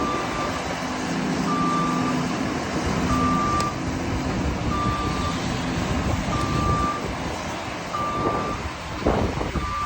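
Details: Lefort Trax making a weird noise: engine runs steadily under a high beep repeating about every 1.6 seconds, with some clunks near the end; cause unclear.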